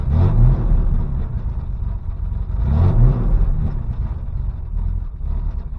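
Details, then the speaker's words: 1988 Chevrolet S10 with new engine and TBI, restarted after a couple of hours sitting; fired easily but surges unevenly when revved, low boomy exhaust sagging and stumbling; rough running, owner suspects catalytic converter or exhaust restriction. "wow it actually fired up way easier than I thought was going to sounds like crap I don't know if the cat's"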